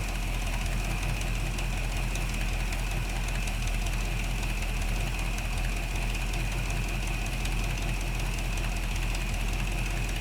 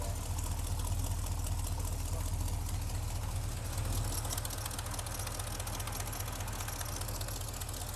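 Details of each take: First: 1975 Chevy C10 V8 at first start after brake and steering work, oil not yet changed, fuel at 4 psi, timing being set: steady, even low rumbling idle with no stumbles or knocks; a weeping plug, and the idler pulley freed up. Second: 1975 Chevy C10 V8 after intake work, oil not yet changed, warming up, reading 50 psi: low heavy idle with lumpy uneven pulse, shaking, smokes heavily when revved; owner feels it missing, cause unconfirmed.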